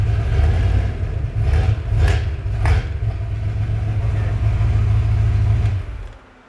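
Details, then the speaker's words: Ford Bronco engine (V8 per the clip) rumbling at idle and blipped, with a hollow knock underneath; an experienced mechanic diagnoses it by ear as piston slap, possibly the wrist pin. "piston slap like a wrist pin piston yep that's what it sounds like in case you guys didn't hear james's diagnosis it's piston slap"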